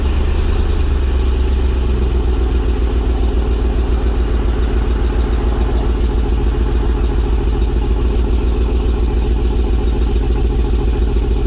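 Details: LS 5.3 V8 truck cold start at 30°, with new exhaust of shorty headers to a Y-pipe just hooked up; steady, even low rumbling lope at idle with no tapping or misfire, runs clean – normal idle.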